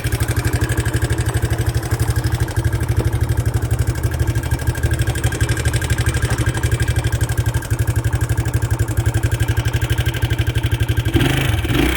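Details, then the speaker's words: Early 1980s Suzuki LT125D Quadrunner 124cc pull-start single, after new carburetor, spark plug and oil, at idle: light quick ticking about four per second over the thump; intake and exhaust valves believed to need adjustment. "You can tell by the clicking that the valves, there's a pair of intake and exhaust valves underneath that need to be adjusted."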